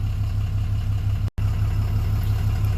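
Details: 2007 Dodge Ram 2500HD 6.7 Cummins after no crank/no start repair (original TIPM kept); aftermarket parts, needs tune, some dash lights on. Even, deep diesel rumble at constant idle, no misses or knocks: normal idle.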